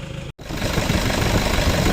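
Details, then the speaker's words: Toyota Vigo after AC evaporator, drier and valve replacement, compressor oil change and new bearing (system not flushed): steady, even idle hum under AC load, no knocks or squeals; compressor cycling normally and cooling fine. "ความเย็นทำได้ปกตินะครับแอร์ตัดต่อปกติทุกอย่างก็แกเย็นพร้อมใช้พร้อมส่งงานครับ"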